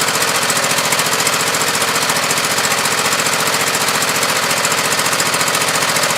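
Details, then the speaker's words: Husqvarna YTH2448 mower, 24 hp Briggs V-twin, 195 hours, new plugs: rough, lumpy beat with lopsided exhaust pulse; pulling a plug lead barely changes it, one cylinder dead or weak, cause still unknown. "as you can hear not much difference there's a hair different but the silliman is obviously very dead or low"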